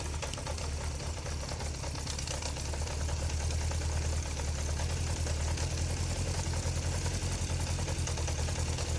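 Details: Kawasaki GPX 600R four-cylinder, £150 bike, vacuum gauges fitted before carburettor balancing: uneven lumpy idle, irregular patter about three beats a second over a low drone; runs rough, carbs suspected out of balance, not confirmed.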